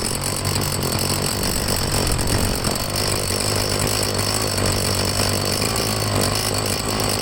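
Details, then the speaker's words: Two-stroke blower on fresh gas with Seafoam added, purge bulb pumped and choked to start: a raspy, flat buzz that hesitates and won't climb in revs. It improves later as the Seafoam runs through, but the carburetor may need taking apart. Poor throttle response. "Yeah, okay. So it doesn't really want to throttle up."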